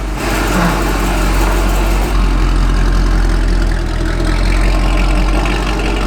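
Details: Corvette Grand Sport V8 bought with major issues, started with fresh fluids: a deep, smooth, even rumble holding a steady idle with no knocks, ticks or misses; the engine sounds healthy.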